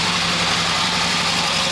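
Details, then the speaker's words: 1972 Harley XLH Sportster homemade bike, battery fitted, carburetor previously disassembled: steady but ragged uneven idle with thin hissy tone; carburetor faulty, leaking fuel probably from the accelerator pump, stalls on the idle circuit. "So I know this is a crummy video. But I figured I'd show it to you running. Definitely got issues with the carburetor."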